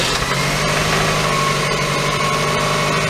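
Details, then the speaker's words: 1997 Toyota Camry just after oil and filter change with four quarts, started to pressurize the system: steady even idle with light top-end clicking, no knocks, sounds better than before. "sounds a lot better than it did"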